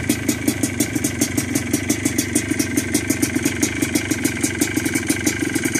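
Crisp, evenly spaced exhaust pops about six or seven a second with a steady, even beat; the two-stroke is idling cleanly.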